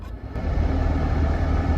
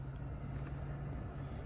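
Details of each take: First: 2010 Dodge Grand Caravan front blower motor, under the passenger glove box: dense roar with a rough rattle at third and fourth fan speeds, caused by debris in the fan, not a failed motor. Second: 2010 Dodge Grand Caravan front cabin blower motor after repair, tested at third and fourth speeds: steady even low hum, no longer rumbling or rattling; normal blower operation.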